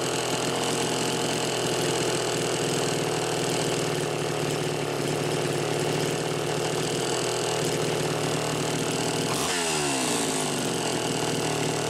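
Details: Super XL Automatic chainsaw, owner reported it running hot with a hot smell; ethanol-free TruFuel mix. Test run nearly warmed up: steady crisp two-stroke buzz, drops cleanly, no stumble or throttle lag; runs healthy, odd smell likely the mix.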